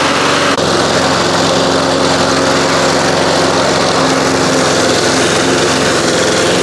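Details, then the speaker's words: 1993 Toro Recycler II mower, Briggs engine, after fixing no-spark (bad ignition coils, damaged flywheel), taken outside: steady, even buzz at constant speed, no misses or surging; running properly. "Outside of my 1985 Mercury 20 horse outboard motor, this mower has been about as frustrating a job as I've done in a long time. I can't believe it's running."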